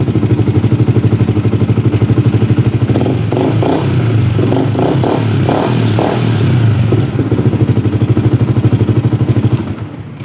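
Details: Yamaha R15 V2 with a hard-starting problem blamed on the rectifier regulator: steady, even putter at about three beats a second with a brief light rattle midway; engine runs cleanly and sounds healthy.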